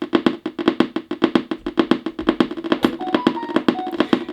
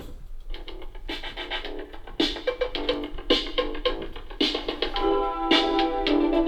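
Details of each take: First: Turntable speaker gives sharp, even clicks about five a second that speed up with volume but not with turntable speed. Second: Turntable playing instrumental music cleanly with no clicks or pops after repair; the earlier popping and clicking fault was caused by a tiny capacitor.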